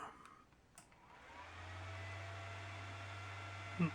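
The fan spins up after a click and settles into a smooth, even hum with a steady low tone and no rattle or scrape; normal running.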